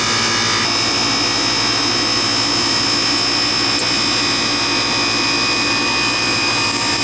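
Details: Old Ganitrol AC condenser that reportedly wouldn't run outside while the indoor unit did, now switched on: steady, even whir from fan and compressor with no stutter or buzzing; running normally.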